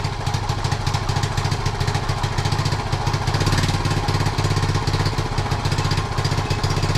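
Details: 1976 Honda Z50J1 monkey bike with running problems since purchase, new carb fitted: small single idles roughly, thumping unevenly with a stumbling, surging beat; owner suspects a blocked jet, later works on ignition timing, points and coil.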